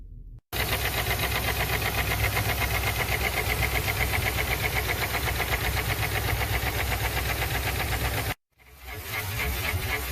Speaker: customer states engine has a very loud knocking sound